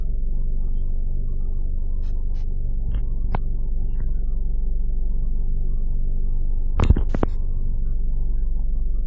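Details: 2009 Ford Focus, 2.0L 4-cylinder, automatic, about 45,000 miles, idling with a low, uneven throb, occasional clicks and no steady beat; rough idle, cause not yet known.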